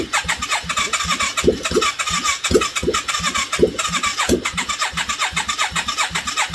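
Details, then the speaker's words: 1989 Yamaha Virago 535 V-twin parked 4 years, full choke, no exhaust fitted: loud open pops catch and keep firing with uneven throttle blips; first start after long storage. "beautiful. I think she might be worth putting more work into."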